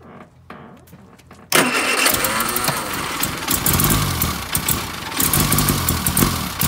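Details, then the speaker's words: Austin Allegro that died on a drive, cranked after swapping in a spare coil of unknown condition: it catches, then runs rough and lumpy with the throttle floored and won't keep running; a sticking carburettor float needle is suspected. "right i'm gonna crank it over now and you'll see that in order to even try and get it ticking over i've got my foot hard to the floor sometimes it just will not run on"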